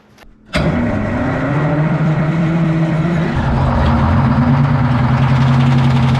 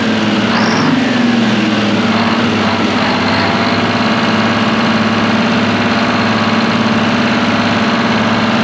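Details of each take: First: Abandoned twin-turbo 12V71 Detroit two-stroke diesel generator, first start after retrieval: cranks, catches, runs loud and steady with light rattle; engine fan hitting its guard. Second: Abandoned twin-turbo Detroit Diesel 12V71 generator set after fan rattle sorted: steady, even idle with constant low drone and no fan clattering; runs well.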